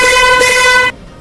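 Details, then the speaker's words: Vehicle trumpet horn, often damaged in rainy weather, repaired and tuned with basic tools by adjusting its tuning screw; a loud, clean, steady blast just under a second long with no rattle or buzz; normal horn tone. "अब इस प्रकार की जो side है बहुत ही पंछी sound है इससे ज्यादा पंछी साउंड नहीं निकाल प"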